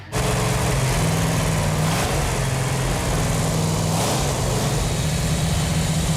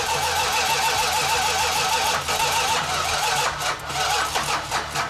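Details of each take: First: 1969½ Dodge Super Bee A12 engine with three two-barrel carbs ("446 pack") on the engine run stand, warming up after its fuel lines were tightened: strong, even V8 rumble with clean rev blips that settle straight back; no knocks or misses, runs healthy. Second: Chrysler 446 six-pack engine (69½ A12 Super Bee) on the run stand after fuel lines tightened: long rough cranking with uneven sputters, then it stumbles and catches; flooded, leaned out with continued cranking and ran good.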